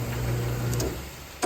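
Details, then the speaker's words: Front-load dryer after installing a new drum bearing (drum guide) kit, belt holding the drum to the front, screws not yet fitted: a low, steady drum hum fading smoothly with no banging; the drum now rides quietly. "We don't even got the screws and we're holding our knee on it. Nice and quiet."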